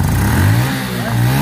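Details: Honda RSX Fi fuel-injected motorcycle with severe throttle hesitation and weak, intermittent high-voltage spark; after fault found (ignition coil), throttle blips pick up cleanly with no stumble or misfire.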